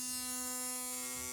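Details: Philips Sonicare DiamondClean toothbrush after repair: steady, even, firm mid-pitch buzz at full strength without wavering; brush head vibrating normally.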